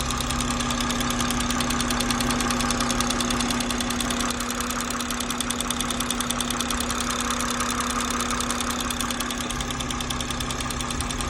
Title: B58 loud ticking noise